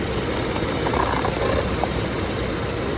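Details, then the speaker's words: Lincoln MKS (2007-2010 Ford Edge/MKS platform) with a hard brake pedal and shaking at idle: uneven idle with an unsteady beat and audible hiss from a leaking vacuum brake booster, causing the rough idle; the booster needs replacing. "and then see he's leaking back there that thing is leaking so bad you can hear it that's why he's idling rough because there's a vacuum lick also"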